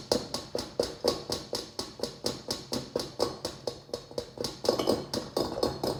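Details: LG refrigerator, model LSXC22396S: a steady, rapid knocking of about four taps a second from the compressor even while the fridge stands still, though it is only supposed to occur when it is moved. Compressor knocking.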